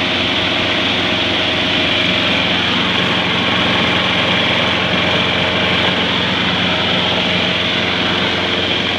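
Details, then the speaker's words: Trash-found mower after cleanup with grill cleaner and water, handle tied down to run and dry off: steady even buzz at constant speed, no misses, knocks or surging; runs smoothly, though it was later found losing oil. "i'm going to start it up let it run for a little bit and want the clamp to handle down or tie it down let it run a little bit and kind of draw itself off"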